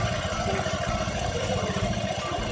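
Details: Honda Beat scooter after crankshaft oil seal replacement for an oil leak, plus an oil change: even, rapid idle thump at steady speed with no knocks or rattles; now running quietly and smoothly.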